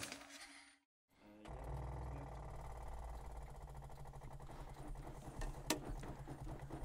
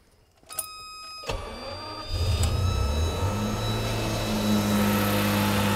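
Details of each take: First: Stone-cold Lamborghini Miura started after switching on ignition and six throttle stabs; two or three cranking attempts, since it effectively has no choke, then it catches and holds a steady fast idle to warm up; normal cold start. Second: Classic car engine on a cold start: brief crank, catches within about two seconds and climbs straight to a high steady fast idle around 2000 rpm while stone cold, before oil has time to circulate.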